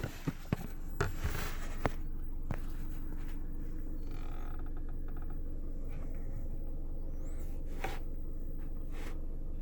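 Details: JBL GTR-1001 amplifier with only power, ground and remote connected, gain under 50%: steady low buzzing hum plus handling taps; noise changes when moved or pressed and when power or ground wire is disturbed; cause suspected, not confirmed.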